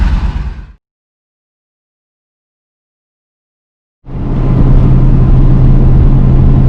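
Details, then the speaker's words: 1966 Thunderbird barn find V8 with a fully rebuilt Autolite 4100 carburetor, dwell and timing set, restarted after a carbon-cleaner soak. Silence, then the engine catches and settles into a steady, even low rumble with no misses: healthy idle, running pretty well. "So we've got it back up and running, and it seems to be running pretty well."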